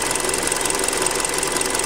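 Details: Hyundai Creta at 40,000 km, before an oil change, running on Liqui Moly oil. Steady idle with a fast, light metallic ticking over the top; noisier than on the factory 0W oil, worse cold. Cause unknown.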